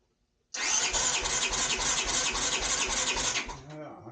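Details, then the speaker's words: 1983 GL650 with a formerly seized engine, after several heat cycles, cranking with the throttle open during a compression test on the left cylinder, washed with gasoline. Even chuffing for about three seconds; reads 165 psi, strong compression. "165 lbs. Wow. I am liking that. I am liking that."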